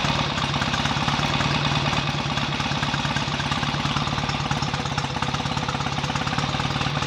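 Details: BSA A65 twin on its first run after a full rebuild, smoky from about 1.5 pints of oil poured into the crankcases. Fast, even firing pulses with a steady beat and no stray knocks; ignition timing may still need adjusting. Normal running.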